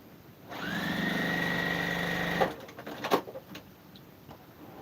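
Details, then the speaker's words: Sewing machine stitching fast with a sustained high whine and an uneven, labouring rhythm. Stitch tension looks off and the bobbin may be running low; cause suspected, not confirmed. "weird that i can hear it that's the weirdest thing like the weird sound it makes when it's off you can hear it it's a little bit more of a struggle when you get used to it"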